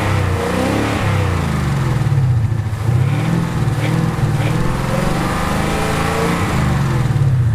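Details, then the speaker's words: Ford C-MAX petrol engine after an engine-rattle additive treatment and about 500 miles driven, blipped a few times, rising and falling smoothly with rattle about 80–90% gone: normal engine revving, no rattle. "you can see it sounds great guys. I'll definitely recommend it."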